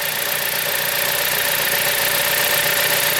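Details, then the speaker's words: 2007 Chrysler Sebring idling after new valve cover gasket (old one hardened and leaking) and new belt: steady even idle with smooth hum and faint whir on top, no knocks or misses, no leaks; considered fixed, normal idle. "I think this is fixed. It sounds good. It's got a new belt, new valve cover gasket."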